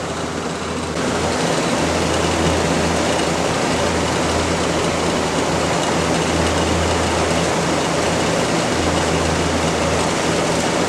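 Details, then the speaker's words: HVAC units with burnt capacitor wiring: the top unit kicks on with a steady, even roar of fan and compressor and a low hum, no clicks, rattles or surging. Running normally. "It takes a little bit for all of them to kick on. The top unit's on and running, and there's no explosions or nothing, so that's"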